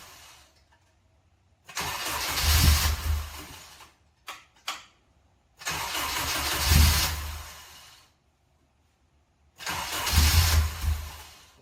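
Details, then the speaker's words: Honda K20 swapped into a Miata, first start attempts: three bursts of cranking that almost catch but never run. The returnless fuel rail is likely not yet primed or pressurized. Crank, no start from fuel starvation. "I do a key couple times. I'm not sure that it's got the fuel fully primed yet."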